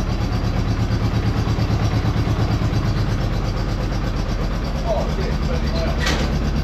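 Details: Honda Goldwing GL1200 flat-four after a disconnected connection was plugged back in: deep, even exhaust beat with no misses or stumbles; runs much better on all four cylinders.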